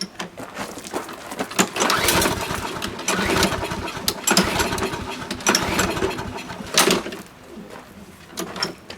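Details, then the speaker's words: Husqvarna AWD push mower with Briggs & Stratton 7.25 hp engine in spring: repeated pull-cord rasps with no sputter, cranking but never firing; it runs on starter fluid but won't stay running on its own. "It's just dead. It has no sputtering. It doesn't even run poorly."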